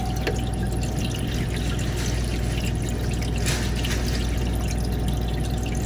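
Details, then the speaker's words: Manitowoc ice machine after cleaning the water level probe (ice had stuck on the grid and not harvested; reservoir failed to refill a second time): steady trickle of water refilling over a low machine hum. Normal water fill. "Fill back up right there. So now I know we're gonna have enough water for the H.V.A.C cycles."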